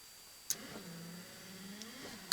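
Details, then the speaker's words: 1991 Ford F-150 wiper motor running on low speed after its broken wires were pushed back on, not yet soldered; a steady hum with soft clicks at the ends of the sweep shows normal operation. "you could probably hear the clicking and that's the speed that it's running on right there"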